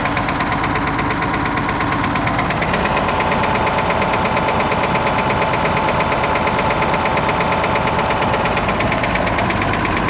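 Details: Perkins T6.354 M diesel running steadily with a sharp, regular knock about three times a second over the engine note; clear internal engine knock, cause unknown.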